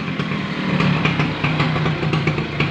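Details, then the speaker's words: Old Vespa PTS two-stroke scooter, exhaust modified ("sudah di bedil"), ticking over at a steady, slightly uneven idle. The exhaust is busy and crackly, and louder than stock because of the modified exhaust. Combustion is good, so it is running normally. "bahan bakarnya ini sempurna ini pembakarannya suaranya agak gede ya guys ini soalnya sudah di bedil"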